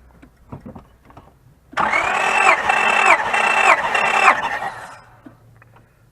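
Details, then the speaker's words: 2004 Honda Pilot with misfire and code 1399, compression test cranking: steady starter whine with even compression pulses for about three seconds; compression sounds healthy and balanced. "Okay, it's like 195, 200. Okay. Jim. Yeah. That was 210 also."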